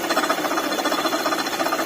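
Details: Maruti Ertiga petrol engine running: fast, even rattling chatter from the engine bay, present with AC compressor off, traced by removing the belt to a worn water pump bearing.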